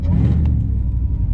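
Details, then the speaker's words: Mercedes E55 AMG (long-tube headers, 77mm pulley, stock muffler) at the drag strip, about 80°F: a loud, deep, hollow rumble under load with no crisp exhaust note, blowing out the left side; an exhaust leak, with a blown-out O2 sensor suspected. "What the heck just broke? Sounds like something just cracked my exhaust. Oh, bollocks."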